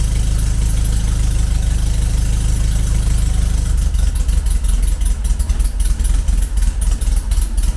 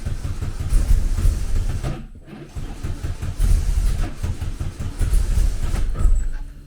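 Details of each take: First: Classic VW Beetle with EFI conversion, after fixing a fuel pressure regulator installed backwards, idling cold with no accelerator and an exhaust duct fan running: low steady idle with fan drone, slight unevenness; now ticking over acceptably, not yet perfect. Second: Classic VW Beetle with EFI conversion, first start after fixing a backwards-installed fuel pressure regulator: lumpy, uneven chugging that stumbles and surges. Tune is far too rich because it was set up around the fault.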